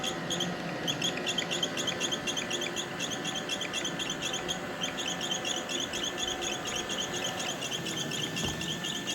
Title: iRobot making squeaking sound.